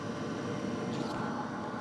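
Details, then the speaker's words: New Hcalory Toolbox Compact 2s diesel heater warming up, exhaust not yet fully hot, mic right at the unit; steady even whoosh of fan and burner, fuel pump ticking gone; normal diesel heater operation. "And now that fuel pump is quiet. Listen. You don't even hear that fuel pump no more. Again, the mic is right here."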